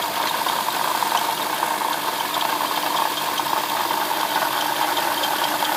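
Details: '07 Lexus IS350 idling with a busy, fast metallic rattle, knocking, squeaking and light ticking from the front side of the engine; owner suspects a bad water pump, unconfirmed.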